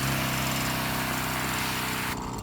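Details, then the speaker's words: Petra HD5000 battery backpack/cart sprayer spraying with standard fan tip, knob at about 3/4: steady electric motor drone under spray hiss, continuous without cycling; normal pump running. "You can kind of hear the motor running a little bit, and that is at about 3/4 on that knob that I showed you."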